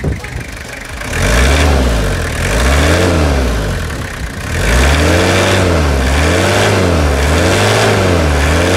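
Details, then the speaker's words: 1997 Toyota Hilux SR5 2.8 diesel after revitalization, engine reinstalled; repeated rev blips rising and falling smoothly, settling back evenly with no knocks or misses — normal diesel engine running. "esse som produzido por este motor é um coral de anjos show de bola né Guerreiro Esse motor tem um som suave característico que é só dele"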